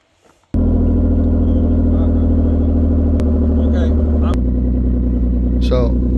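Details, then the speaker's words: 2016 Nissan Maxima, 301,000 miles: loud, deep raspy drone at steady idle, far louder than stock; exhaust pipe rotted through with a large hole on top; exhaust leak. "Uh it's really loud. The exhaust on this rotted out in a real real bad spot."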